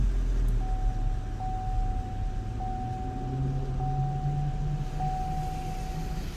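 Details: 2010 Chevy Equinox after its no-start issue was solved (starter relay): the engine idles smoothly with an even low rumble and a faint steady whine, no misses or knocks. Normal idle.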